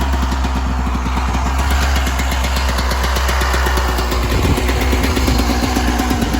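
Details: 1996 Yamaha YZ250 two-stroke just after carb tune-up, still cold, just starting to warm: crisp even idle with steady popping beat, no stumbling or hunting; normal two-stroke idle, much better than before.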